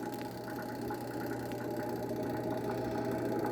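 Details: Hitachi washing machine after repair, spin motor restarted after lid closed (brake removed): steady low mains hum with even motor whir; spin motor running normally.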